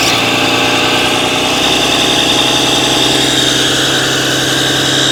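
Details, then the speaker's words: Cummins diesel work truck, 239,000 miles, power-braked with exhaust brake: loud run with a sharp fast ticking puff, worsening from a squeal only under exhaust brake to almost constant; exhaust manifold leak, likely warped flange, no check engine light. "Let me walk you through some of the reasoning that me is more of like a service advisor when I hear that and just think, based off the customer's description, that it was an exhaust leak."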